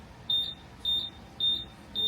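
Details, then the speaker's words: Buzzaround EX mobility scooter with fault code 7, switched to neutral/freewheel after cleaning: evenly spaced high beeps giving code 5, out of gear, showing the controller responds. "5. Six. Oh, that was 5. So 5 telling us It's out of gear, yeah. it's out of gear, so I mean the controller's responding to that."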